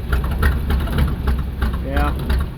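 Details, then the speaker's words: 1975 Ford F-750 pipeline truck first start, fresh gas: low, lumpy, loping idle with uneven thumps, running rough but running; builds about 30 psi air. "oh well there you go it does in fact run kind of crappy but um it runs"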